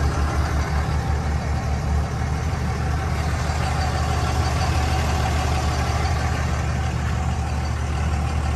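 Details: 2003 Dodge Ram 2500 Sport 4x4, 5.9 Cummins common-rail diesel, automatic, one owner, 85,668 miles, no internal EGR: steady, even diesel clatter at idle with a deep low rumble and no knocks or misses; healthy normal idle.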